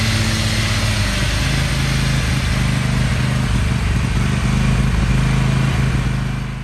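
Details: Kohler 7000 Series KT735 24 hp smart-choke engine on Toro MX5050 zero-turn mower popping, sputtering and running rough at steady throttle, uneven stumbling beat; misfire persisted after new fuel filter, pump and carburetor, cured by replacing no-name spark plugs.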